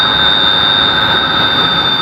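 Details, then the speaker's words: 16-pole electric motor after controller parameters were corrected, running mode one: steady high whine at an even level with no roughness or surging; smoother rpm and better behaviour than before adjustment. "más suave un rpm con mejor eh comportamiento modo dos"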